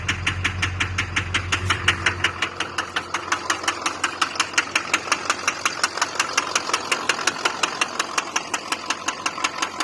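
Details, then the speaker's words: Duramax diesel rebuilt with a refurbished injector set: sharp even knock about three per second over idle, plus heavy smoking; knocking hard, source not pinned down, cause not confirmed. "Bought a refurbished set, and the thing was knocking and smoking like a son of a gun."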